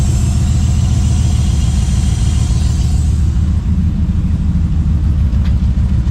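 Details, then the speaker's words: 2016 Chevy Silverado V8, being rebuilt after frame damage, running with no coolant and a broken sensor tab on the intake: loud, deep, steady rumble from open exhaust, no misses, knocks or ticks; normal running. "But it sounds pretty good. I probably shouldn't run it too much because I have no coolant in it."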